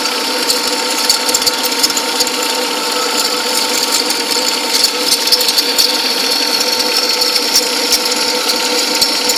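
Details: 2003 Cadillac CTS, engine running: light, bright ticking and ratcheting, a couple of clicks a second, coming and going from the accessory belt area; intermittent ticking, cause unknown.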